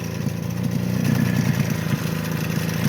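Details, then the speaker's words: Suzuki LT50 two-stroke ATV that bogs and cuts out after 5-8 minutes warm; crank seal replaced, unsuccessful fix, smoking. Low, uneven lumpy idle with soft pulse; warm compression barely 25 psi, low compression, owner expects barrel and piston. "So I've just tested it again after it's been running about 10 minutes. It's warm now. It's barely 25 psi, so no wonder it's not running right."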